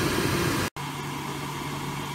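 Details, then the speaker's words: Grant 50/90 oil boiler after a new 0.60 60s jet, warm after 10–15 minutes running: steady, even burner roar with a faint low hum and no pulsing or rumble, radiators warming; normal operation. "So, it's been working away merrily now for about 10 or 15 minutes. The radiators inside are getting warm."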